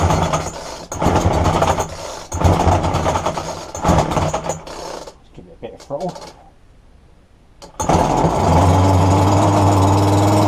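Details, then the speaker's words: Roadside-dumped McCulloch strimmer after fuel lines were replaced: several sharp pull-start bursts, then it catches and holds a steady, even high buzz with no misfire or surging; running well. "so there you have it all it was was a few lines I haven't even had to churn it up on nothing on it and it run"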